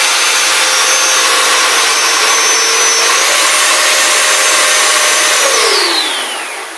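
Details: Kids' Power Wheels ride-on converted to 24V with an ESC, run wide open: a clean, steady high whine that steps up in pitch, holds, then winds down smoothly; motors and gears healthy at full throttle.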